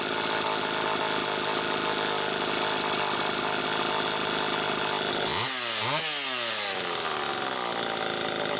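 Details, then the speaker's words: Super EZ chainsaw test run after fuel tank mounting repair, muffler cap a little loose, warming the engine: revs up and down cleanly with quick pitch sweeps on throttle blips and a steady, even buzz; runs fine. "okay well brian that makes me feel a hell of a lot better quite frankly just to hear it run and i didn't have to get into the car which makes me feel great honestly"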